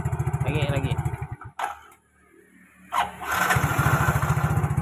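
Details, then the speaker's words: Yamaha Mio GT scooter after starter motor disassembly and reassembly with cover alignment marks lined up, curing a rough, heavy starter; brisk even cranking, a pause, then the engine catches and runs, starter working normally. "Oke, teman-teman. Motor starter sekarang berfungsi dengan baik."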